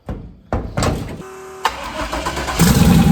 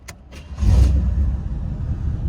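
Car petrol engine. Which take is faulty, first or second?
first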